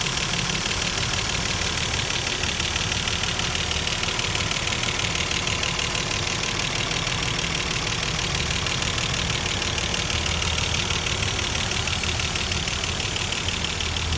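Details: Mercedes-Benz W124 idling after cylinder head reinstall: fast even ticking of about three per second over the idle, lessening as the hydraulic adjusters fill with oil; lifter tick fading as adjusters fill.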